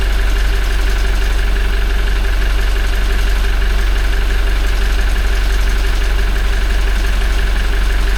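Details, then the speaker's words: Toyota 1GD-FTV diesel, 40,920 km, idling and warming toward 40°C on old Lukoil oil before an oil change: faint, even light rattle about three per second over the idle, the timing chain starting to rattle, fairly quiet but present. "Есть этот звук, он даже сейчас он прослушивается немного. О, начинается. Вот. Тихий такой достаточно. Но он есть."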